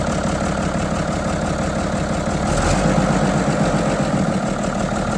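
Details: 1975 White 2-150 tractor diesel running for the first time in 19 years, with a secondhand exhaust and muffler and the intake cover off. Steady idle clatter with open intake hiss, running evenly and healthy.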